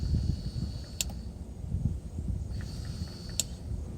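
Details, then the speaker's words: Mercedes rear heater auxiliary coolant pump, removed and powered on the floor with a power probe: faint steady high whine over low hum with a couple of clicks; pump spins evenly, reads about 70 ohms, works fine. "so I was just activate the pump so you can actually see it work see it's spinning"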